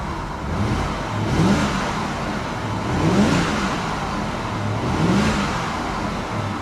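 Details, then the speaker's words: Car with iDrive, seen at a salvage yard with a service engine light on: three clean throttle blips, revs rise and fall smoothly with no knocks, misses or rattles; engine sounds healthy. "Let's give it a little rev. She sounds good."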